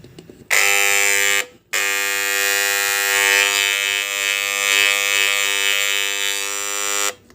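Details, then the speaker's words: WAHL PCMC Pet Clipper, running with the blade set removed: a steady, even high buzz, but the lever drive gives only a weak vibration. It hums while the knives don't move. "There is some kind of weak vibration"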